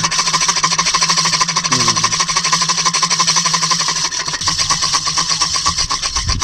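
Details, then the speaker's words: Ceiling fan making strange noise when switched on; fast steady ticking over a high hissing hum throughout the spin; noisy ceiling fan, exact cause unclear. "Ceiling fan हूं क्या होता है इसमें जब चालू करते हैं तो आवाज आने लगी अजीब अजीब सा लगता है"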